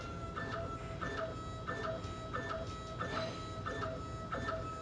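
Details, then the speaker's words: Stepper-motor diaphragm dosing pump with acrylic head, set to 1 gallon per hour: even clicking stroke about every two-thirds second with light whir; full stroke length always, only frequency changes with rate; running normally. "you'll hear the frequency as you're speeding up going faster diaphragm moves out faster but always the same stroke"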